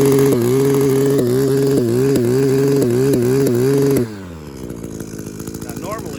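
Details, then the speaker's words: Echo PAS-266 powerhead with trimmer attachment, warmed up, idling around 3,000–3,100 rpm (spec about 2,900): idle stumbles with regular dips roughly twice a second, then abruptly dies; owner suspects a failing ignition coil. "when I think of something like that it's ignition you know that's always ignition on Echo I see it a lot in the blowers especially the backpacks when it needs a coil that's what it sounds like"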